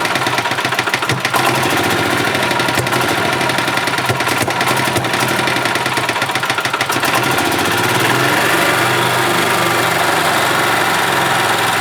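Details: 1991 Yamaha G8 gas golf cart engine after carburetor cleaned of junk and worn-out fuel pump replaced; small single-cylinder running steady and fairly even, tone settling as the mixture screw is set: idling the way it should.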